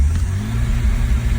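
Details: 2001 BMW E46 330Ci, warm, MAF unplugged, idle revs bouncing, cats red hot: deep steady rumble with throttle floored, but revs stay flat and won't pass 3000 rpm, little power. Owner suspects fuel or oil getting in.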